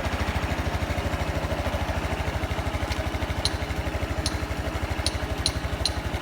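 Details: Honda Super Cub 110 JA07, fuel-injected, fully stock, start-up check at idle: an even, steady putter of about three beats a second with a few light clicks in the background; a normal, smooth idle with no abnormal engine noise.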